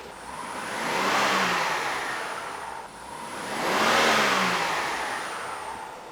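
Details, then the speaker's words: 2011 BMW 535i xDrive F10 with rebuilt N55, after WD-40 sprayed on squeaking bottom pulley stopped the squeak: two clean rev-ups, no squeal or rattle; healthy. "Well, spray WD on that bottom pulley and it stopped squeaking. Let's rev it up, see if anything else happens."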